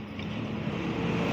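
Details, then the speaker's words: Carbureted Honda Beat that had juddered at 30–40 km/h (3000–4000 rpm), road-tested after the CVT clutch repair: the engine drone rises smoothly as it pulls away, with no stuttering judder. The clutch engagement is clean. "ini tadi juga saya sudah saya coba di kecepatan berkisar 30 40 itu sudah ada tidak ada ret ret ret R ret"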